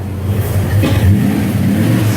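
Deep V8 burble swelling up with a blip of throttle and settling back smoothly, no misfire or knock; healthy engine.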